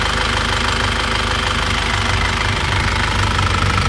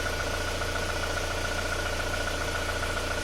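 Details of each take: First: After repair of a 2001 Isuzu Panther diesel: pistons and rings replaced, liners reconditioned, engine warm at 82°. Steady idle clatter at about two beats a second, with no misses or extra knocks. No blow-by and no compression leakage; a normal, healthy idle. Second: Before repair of a 2001 Isuzu Panther diesel with blow-by, heavy smoke and a rough piston noise; compression read 23 bar. Rough idle with a dull knock about three or four times a second, from worn, loose pistons. Piston slap; later fixed with new pistons and rings.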